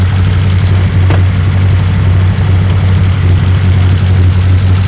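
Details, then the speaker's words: 1972 BMW 2002 with carburetors, after work on a start and run issue, warm after about five minutes of running, charging around 12–13 V: deep, steady idle holding an even beat without hunting or stumbling. Normal idle. "but so far I think it's been run for about five minutes in sounds good"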